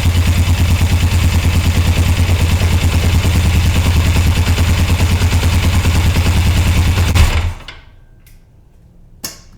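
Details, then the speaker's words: 1981 Suzuki GS450L after further clutch cable adjustment: even, steady idle with regular beat and no clanking, then engine switched off; runs normally. "To me, it sounds like it's fixing it, but I'm still nervous because I'm like, what if it just takes off?"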